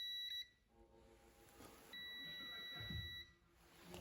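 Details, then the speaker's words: Bench test of Link G4X plug-in ECU for JZX100 1JZ-GTE non-VVTi, engine fan auxiliary output: steady high continuity beep stops then returns for over a second, output still reading grounded after switching off; cause unknown. "But like one thing I don't know why is like it's staying on after I keep it off. You know what I mean? Like I keep it on. Boom. Like I keep it on for a few seconds. I take it off and it's still beeping"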